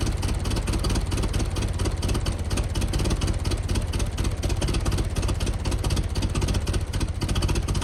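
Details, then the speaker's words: 1914 Buick, about 1,776 original miles, revived after 85 years, fires after a few pulls: low, even chuffing beat at steady speed with no misses or knocks, running smoothly and healthily. "It's never supposed to take too many pulls, and just like that she fires right off and runs."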